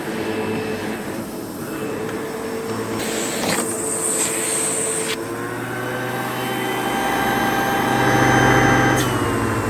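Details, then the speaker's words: Sebo vacuum after a bag change, brush bar well used but no blockages: strong steady motor whine rising slightly under load, no rattles or surging, healthy suction; works fine. "So yeah, the Sebo works absolutely fine."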